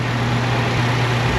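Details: Chevrolet Malibu idling on new, partially charged battery (12.4 V) during charging test showing 14.7 volts, no ripple; smooth even low hum, no misses, surges or knocks; engine and charging system healthy.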